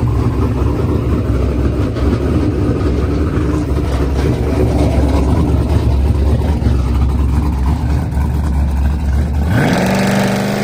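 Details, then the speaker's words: Z06 on Holley ECU, hard pull: engine pulls hard, then in high gear pitch stops climbing and flattens before dropping; hit boost safety in the Holley, reverted to wastegate, power cut. "if you listen closely you could hear when it gets out there in high gear it just stops increasing RPM pretty much hit boost safety in the Holley so it just reverted back to wastegate"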